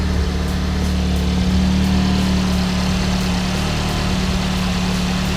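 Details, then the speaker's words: MK7 VW Golf R, tuned, just started after swapping OEM spark plugs for one-step-colder Brisk ER12S plugs: steady, even idle hum with no misses, stumbles or ticking; sounds healthy. "No weird sounds from the front? From the back sounds good. Looks like we're good to go."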